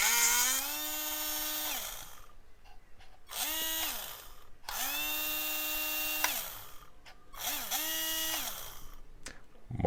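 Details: HBX Rampage 1/18 4WD RC monster truck, drivetrain just freed of a jammed pebble and disassembled: short bursts of high brushed-motor whine that climbs, holds and winds down with a raspy edge; motor works but still sounds rough, cleaning planned.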